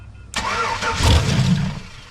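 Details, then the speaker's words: Chevrolet Silverado after an ignition switch replacement, with the dead ignition fuses fed voltage: quick crank, engine catches and revs briefly, then dies within about a second and a half; starts then stalls, cause not confirmed. "Oh, the lights come on in the dash. Start it up and it dies immediately."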